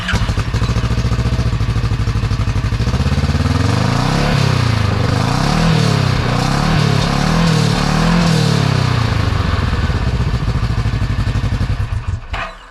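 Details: Newly installed GGB trail edition muffler, with the GoPro placed close to it: deep, even exhaust drone with a slight rev rise and fall, no rattles or misses, not crazy loud and a little meatier; healthy.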